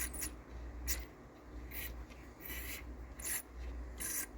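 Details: Onkyo M5060R/P3060R amplifier under restoration: rough, crackly scraping bursts about once a second each time the volume knob turns, over a quiet hum; scratchy volume pot that needs cleaning and lubrication.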